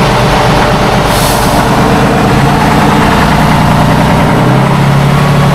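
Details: 1976 Tatra 813 V12 truck, restored after 20 years unused, exhaust sound: deep even roar with a smooth low drone, no knocks or misses; normal revving.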